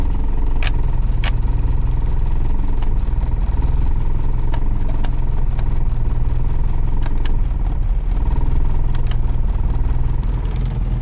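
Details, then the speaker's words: Car at idle just restarted after thermostat replacement and heater core flush: steady idle with a light, regular tick and occasional sharper clicks; owner suspects a valve ticking, unconfirmed. "I think there's a valve ticking too. I think that's what that noise is."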